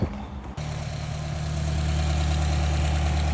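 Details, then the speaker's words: Subaru WRX FA20 boxer engine at idle after a spin in a parking lot; light, steady tick that passes for typical lifter tick, but it rattles when revved and shows no knock feedback; spun bearing blamed on oil starvation from lack of oil pan baffling. "so as you can hear right here it doesn't sound too bad like it just sounds like typical WRX lifter tick"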